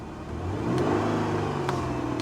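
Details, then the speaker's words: Salvage car revved lightly from idle: smooth pickup and even settle, no knocks or rattles; engine sounds healthy, car drives forward and reverse well. "she sounds fine she does engine sounds good"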